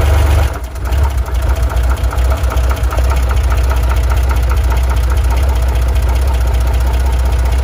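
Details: Chevrolet Corvair at low idle: faint regular knock under the engine note; owner suspects rod knock, unconfirmed.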